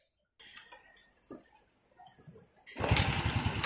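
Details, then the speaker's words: Honda Wave 100 Alpha CX during restoration, engine reassembled: quiet, then one kick and it fires straight into a steady even putter with no ticking; compression good, starts and idles normally. "Kung push start nga yan, isang lang yan, one click lang, diba, andar agad at napaka-tahimik pa ng makina."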